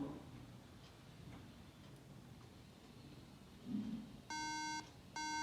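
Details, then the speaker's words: MacBook Pro that won't turn on and shows no display; two clear half-second beeps about a second apart repeating with no startup chime, caused by RAM not seated properly; fix is reseating the RAM: RAM fault beep code. "तो दोस्तों इसका main reason इसके behind SDO प्रेम जो RAM आपने six की है वह सही तरीके से नहीं लगी हुई हैं उसमें कोई इशू है"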